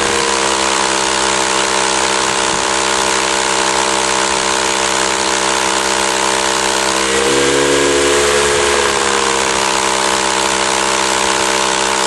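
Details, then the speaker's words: 20-gallon Campbell Hausfeld oil-less compressor that would not build tank pressure, no leaks found: loud even pumping hiss, steady motor tone, rapid regular pulses; some pressure but weak output, worn compression ring, owner suspects other problems. "it's running but it's not as loud obviously and it does seem to be putting out some pressure so I might have other problems"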